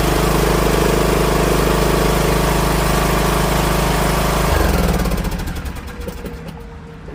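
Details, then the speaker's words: Ariens 20 HP 46" Hydro riding mower (model 936056) that had become very loud, after the muffler was replaced. The engine runs with an even, mellow beat and no exhaust rasp or blat, then winds down cleanly at shutdown. "you heard the sound difference? Night and day. This thing sounded so different."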